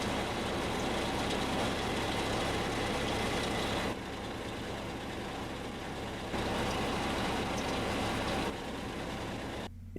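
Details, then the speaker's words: Small pickup truck at idle, noise when pressing or releasing the clutch pedal: idle note shifts in steps as the pedal goes down and up, characteristic of a worn clutch release (throwout) bearing. "este es un síntoma característico de un problema en el clutch más específicamente hablando un problema en el balero collarín"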